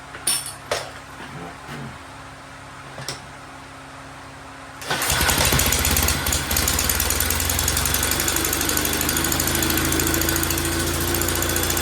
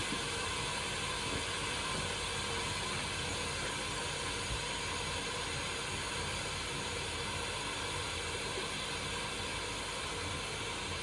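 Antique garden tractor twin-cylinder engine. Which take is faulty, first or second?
second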